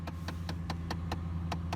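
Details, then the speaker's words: 2009 Dodge Ram 1500 at idle: a steady knock about every quarter second from behind the dashboard, heard while the heater was not working. The owner traced it to the heater actuator and replaced it. "so I kind of put two and two together it's like okay I realized when I started hearing that knocking mi'jita wasn't working"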